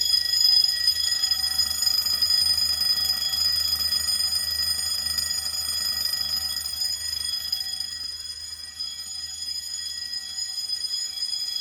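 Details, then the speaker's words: Fire-Lite MS-9200UD basement fire alarm system set off from a bedroom pull station: continuous fast metallic bell ringing, about three or four strikes a second, with relay clicking from the Simplex SmartSync control module; bells sounding in general alarm (continuous coding). "Now, hearing the bells in continuous is cool and all, but I'm gonna actually change the coding option to code 3 once I reset the pull station."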